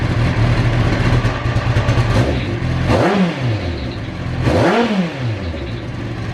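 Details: Kawasaki ZX9R E2 after a fuel filter change: engine catches and runs unevenly at first, then two quick throttle blips sweep the pitch up and back down; starts and revs freely.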